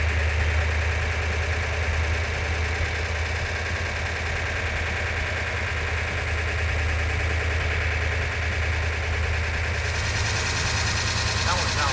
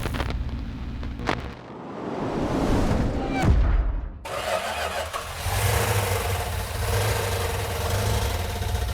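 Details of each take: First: Rebuilt Mopar 340 V8, rebuilt after sand was found in the engine, now installed in the car and running on a ballast-resistor ignition. A deep, loping idle with an even beat and no knocking sounds as good as it did on the run stand: normal idle. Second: New rebuilt 340 V8 at first fire-up: cranks, catches and runs lumpy and uneven on about six cylinders; a compression test found low compression.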